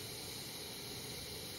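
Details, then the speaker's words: Primus 535 twin-burner kerosene stove after fitting a roll of brass mesh as a surge restrictor in the burner feed: steady, even hissing roar with no pulsing; surging from vapor detonation is cured, normal burner roar. "so the brass mesh acts as a restrictor to keep the stove from surging any further"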